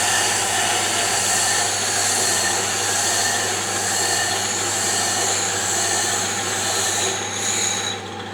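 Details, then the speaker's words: Diamond grinding wheel on a D-bit/single-lip cutter grinder being dressed against a kerosene-wetted oil stone: steady hiss with a faint uneven rasp as the out-of-true wheel starts cutting intermittently on first contact. "you can hear it starting to cut intermittently when it first comes into contact so i'll stop yapping so you can hear"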